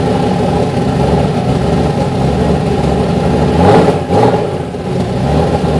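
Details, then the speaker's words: Turbocharged BMW M50/M52 engine, first start after new high-output coils and 4 bar MAP sensor, fuel pressure 3.5 bar, coolant missing: steady, even, mean-sounding engine note holding high at about 1300 rpm; high idle. "Yeah the idle is totally different. it was 1300 RPM first. Yeah the idle was quite high."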